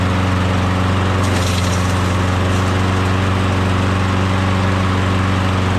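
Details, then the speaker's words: Briggs & Stratton Quantum low-compression lawnmower engine after compression test, flywheel key checked: starts easy, steady even low drone at constant speed with no misses, knocks or surging; healthy, to be swapped onto another mower. "sounds good starts easy sounds good that's it we're gonna put this engine onto that mower"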